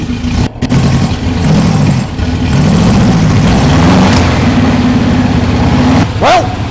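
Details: 1968 Porsche 912, 1600 flat-four with carburetors, off the road for years, just after valve adjustment; slightly lumpy uneven idle that smooths a little, running rich, backfiring through carbs; new carburetors being ordered.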